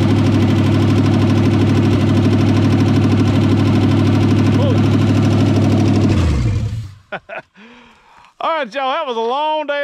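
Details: 1963.5 Ford Galaxie 500 hardtop, 390 FE V8 with prior no compression on #1 and blown-off oil filters, valve covers off: firm, regular beat at fast idle for several seconds before shutdown, no knock or tapping; engine oiling and running cleanly.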